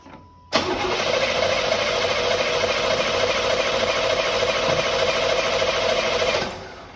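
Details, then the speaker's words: 1989 Firebird Formula 350, 10,000 miles, long stored: six seconds steady cranking about three beats a second, never fires; injectors believed clogged/gummed, being heated to free them. "So, and we can hear it run if we put starter fluid in it. So we know that pretty much the injectors are clogged up, gummed up, whatever."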